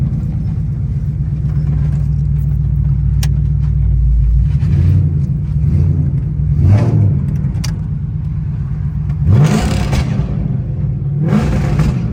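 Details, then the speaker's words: Ford Crown Victoria after exhaust leak repair: deep, even rumble at idle with a couple of clean throttle blips and no ticking or puffing, sounding better without the exhaust leak noise; normal idle. "normal a that's cool that's cool that's cool that's cool that's cool that's cool say I'm back normal it's sound better cuz it ain't got all that exhaust leak noise"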